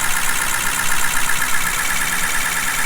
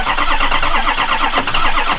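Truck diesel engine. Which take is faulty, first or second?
second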